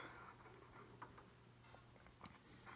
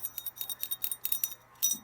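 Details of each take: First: Drake R4C receiver, early model, dirty with bad switches, tuned to 20 meters sideband: steady band hiss rising as it comes alive with faint signals and a tone near the end; normal reception. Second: Drake R4C radio receiver with 6HS6 mixer tubes, shaken: quick bursts of light metallic clinks and jingles; detached crystal calibrator, its mounting pegs loose, bouncing inside the chassis.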